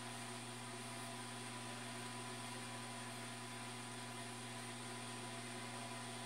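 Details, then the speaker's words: New automatic egg incubator bought online, warming toward its 37.8°C setpoint (nearly 36°C): quiet, constant hum with a faint steady whir, no rattles or speed changes; the owner says it is working properly and the fan runs as it should. "e então quer dizer acham que ela está funcionando direitinho e isso é o que importa né"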